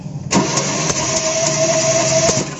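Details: Suzuki 3-cylinder engine that won't start, compression being tested: starter spins the engine at a steady rate for about two seconds but it never catches or fires; cranks without starting.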